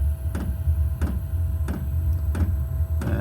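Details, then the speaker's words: Newly installed diesel air heater in a garage starting up: a steady low roar with the fuel pump clicking about once every two-thirds of a second as it pumps fuel and fires up, running normally. "It's pumping and kicking in. That's the pump. You can hear clicking. Pumping the fuel. And that's it firing up."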